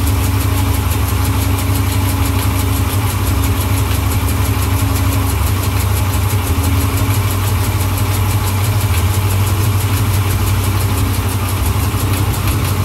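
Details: 37K-mile Hemi V8 at idle: loud steady idle with a fast light tick on top and a duller low bottom-end knock underneath; source of the knock unconfirmed.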